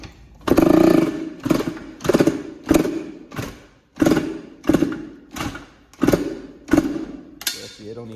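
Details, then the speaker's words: 2006 Yamaha YZ85 two-stroke, which the owner says locked up, freed, then ran knocking: eleven rough kickstart strokes, also tried with choke, never fires; no-start. "even want to crank right now they don't even want to Crane let me try to put the choke on see what it do you don't even want to crank"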